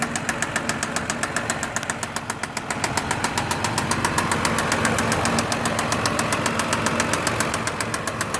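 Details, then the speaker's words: 2006 Mazda 6 V6: fast, even ticking about three to four per second over a steady idle, seemingly from the top end; cause unknown. "it's from the top end but I'm not sure what could be making that noise alright thank you"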